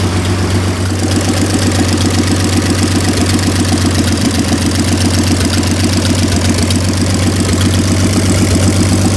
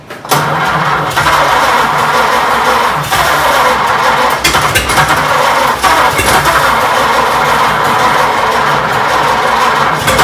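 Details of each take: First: 1926 Oakland antique car revived after 75 years, running with its rebuilt generator hooked up. Slow, steady idle with even low thumps about four a second, no knocking or missing. Normal idle. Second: 1926 Oakland after 75 years, restarted with fresh gas, owner suspects gummy rings: catches and runs rough for a few seconds with uneven firing, then fades out; fires briefly then stalls, cause not confirmed.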